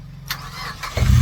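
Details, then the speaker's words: Mazda 2 that would not start and sat about a month, after checking fuses and injectors: short crank, then it catches and settles into a deep, even rumble; starts cleanly. "Yun oh. Napaandar na. Umandar na yan."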